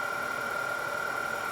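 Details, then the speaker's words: Denso 120A alternator with external regulator, off a Grand Cherokee, bench-tested at about 3,000 rpm into a drained battery: a steady high whine near 1.3 kHz that shifts slightly as the excitation is turned up, charging about 10 A, normal. "as soon as I crank the excitation up we can hear this up we can hear the sound is changing"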